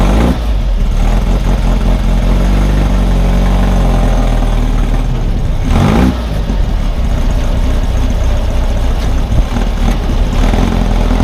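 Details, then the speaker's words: 1600 cc Baja Bug flat-four on its first test drive after two years of work: fires quickly, steady even low-pitched run with no knocks or misses; healthy though underpowered. "it idled well whenever I would stop to make some changes as soon as I cranked it over fires right up so it's running pretty good"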